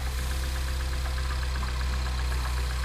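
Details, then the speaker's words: 2009 Mini Cooper S first start after two years, head gasket, timing, intake and turbo work, cold: low steady idle with a faint regular tick about four times a second, slightly uneven; owner suspects the damaged mass air flow sensor. "Probably not running the best because of this. The mass air flow sensor is all messed up."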